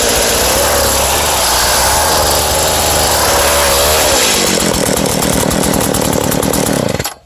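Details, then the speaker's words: Craftsman two-stroke cultivator pulled from a scrap pile, started with choke and starting fluid, good compression: buzzy engine runs steadily without stumbles or misfires then cuts off cleanly; starts quickly and runs normally, though a clutch assembly issue is suspected. "But she's definitely got good compression. Starts pretty quickly."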